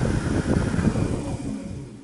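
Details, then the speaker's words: Minn Kota 70 lb bow-mount trolling motor lower unit after armature and brush assembly replacement, done for low thrust; smooth even hum with no grinding, rattle or catching as it winds down; healthy rebuilt motor. "But here we go, one last run, and wow, that thing sounds good."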